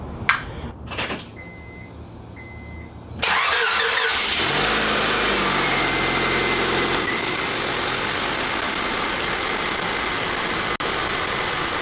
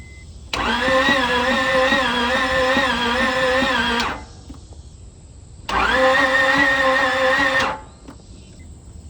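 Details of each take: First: Car bought from a title pawn, after reassembly and a coolant refill with air trapped in the system. Chimes, then a start, and at operating temperature with the thermostat open and the upper hose hot it holds a steady, even idle. Normal idle. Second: No-start car with a new battery cranks slowly and unevenly in two long bursts, with only one cylinder firing. Compression reads zero; owner suspects the valve train, not overheating, as coolant is still full.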